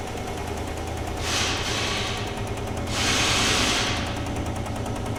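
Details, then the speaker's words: Chevy truck engine idling after start with the MAF connected, after plugs and wires were reportedly replaced: uneven stumbling idle with a dead miss, likely number two cylinder (passenger side front); compression test and rocker arm/lifter check planned next. "It's still miss It's It's definitely misfiring. It's got a dead miss in it, dude."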